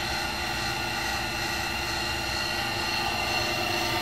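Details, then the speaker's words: Cincinnati Monoset MT tool and cutter grinder, main workhead running: a smooth, even whirr with a steady tone and no grinding, knocking or rumble; spindle bearings in good condition with no unusual noise. "same thing with the main work head over here we'll head on you can hear the bearings sound like you're in a really nice condition no unusual noises"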